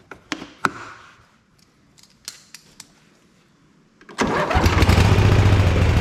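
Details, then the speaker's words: Ariens-made Ever Ride Hornet zero-turn, 25 hp Briggs & Stratton twin, 520-some hours: starts and runs loud with an uneven lumpy beat, better than before but rough; a chewed plug wire is suspected. "still doesn't sound real great it's better than it was but I'm still wondering if we got a chewed spark plug wire or something"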